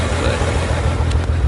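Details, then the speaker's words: BMW 135i with the check engine light on and a misfire code for cylinder 5: deep uneven chugging with dropped beats, and the whole car vibrates; the owner suspects an ignition coil, not confirmed. "yeah so it's definitely misfiring you know if you guys can hear it"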